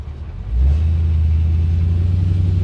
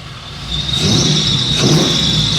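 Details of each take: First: 1973 Chevy C10 with 6.0 V8 swap, coolant around 203: deep slow V8 rumble settling very low, about 600 rpm; idle speed set too low. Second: 1973 Chevy C10 after 6.0 swap replacing 454 that wiped out its bearings, Flowmaster FX mufflers, still needs tuning: quiet idle rising to a deeper, louder, rowdy growl when revved, no rattles or popping; normal exhaust note.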